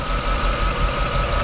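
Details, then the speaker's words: 2011 Chevy Tahoe V8 that arrived blowing white exhaust smoke with a misfire code: lumpy, uneven idle with a missing pulse in the rhythm. Scan shows active misfires with cylinder 3 dead. Spark is present and it smells of fuel, so the number 3 injector is suspected. "Alright, so active misfires. Yeah, pretty much number 3 cylinder is dead."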